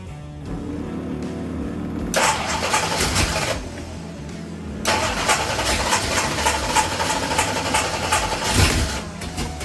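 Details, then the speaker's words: Ford Pinto drag car with a freshly rebuilt Holley carburettor catches and revs but sags toward stalling and won't idle. Float adjustment and the idle bleed screws made no difference. The cause was misaligned spacer-plate holes blocking the idle circuit. "guys as you can see from the video a few moments ago just really having trouble getting this thing to idle to do anything"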